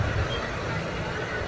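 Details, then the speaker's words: Motorcycle engine after fixing an oil line blocked by diesel put in the oil, cooling pipe refitted: even steady hum with no ticking or rattle, now running smooth; oil change advised at 800 km. "हाँ, तो ये देखिए अभी आप साउंड सुन सकते हैं, पूरा स्मूथ हो गई है गाड़ी।"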